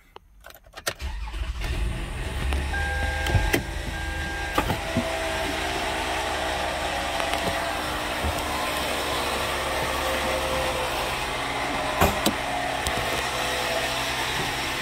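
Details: Toyota Sienna idling, hood open, customer noise complaint: loud rough rattle and whir with sharp irregular clatters, traced with a screwdriver to the alternator; failing alternator clutch pulley, alternator replaced.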